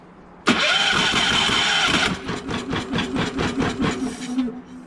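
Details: Champion 3400-watt inverter generator that won't run, before carb cleaning, brake cleaner sprayed into intake with choke open: loud cranking burst then uneven pulsing puffs catching briefly but never settling; cranks but fails to start.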